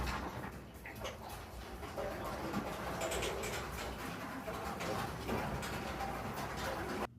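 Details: Noisy garage door with worn metal rollers and a chain drive, before they were replaced with nylon rollers: loud rattling rumble with scattered clacks running steadily for about seven seconds as the rollers grind along the tracks.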